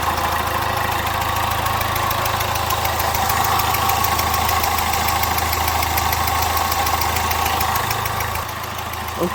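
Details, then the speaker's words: Citroën Nemo 1.4 HDi diesel at idle: steady idle with rapid puffing chuff in time with firing, pressure blow-back from failed injector seals, burnt diesel smell; injector seal leak. "d'habitude sur les moteurs hdi des symptômes sont les mêmes le bruit le retour de pression que l'on entend ici"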